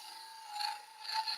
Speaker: chatter. You can hear that ringing sound there. And I'm slowing my feed rate down because as I get to the smaller diameter in the middle the wood the surface of the wood isn't moving as fast.